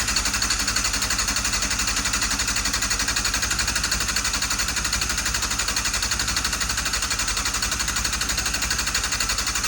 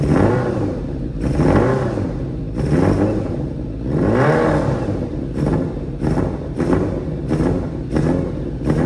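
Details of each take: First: Restored Yamaha Fazer 600 on its first start attempt in about 2.5 years. Steady, fast starter whirr with even compression pulses, about three a second, that never catches. Cranks fine but no fuel is reaching the carburettors. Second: Restored Yamaha Fazer 600 motorcycle, first start in about 2.5–3 years after rebuilding a chopped frame and missing parts: the engine catches and revs cleanly, blips rising and falling smoothly, then settles to an even, steady idle beat; normal running.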